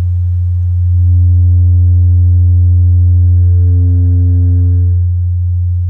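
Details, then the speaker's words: Miller & Kreisel V-2B subwoofer amp after replacing all its failed electrolytic capacitors: a pure, steady 90 Hz test tone with no buzz or hum; clean output. "wow it sounds absolutely perfect"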